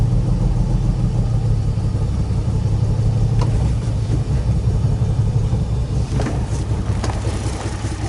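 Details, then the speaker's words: Flooded Nissan 350Z that sat over a year, with wiring and heater box swapped from a parts car, mass air meter just fitted and gas of unknown age: uneven, lumpy idle that wavers and dips, then shuts off. Vacuum leak suspected. "Nope, shuts right off on a vacuum leak. But, I mean, it ran. It did, it ran."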